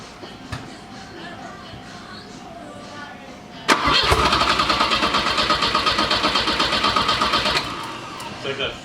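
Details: Turbo Volvo project car with fuses blowing: quiet, then a few seconds of even starter cranking at nearly three turns a second that stops without catching after swapping in a junkyard relay. The fuse survived; owners suspect the main fuel pump isn't running. Cranks, no start.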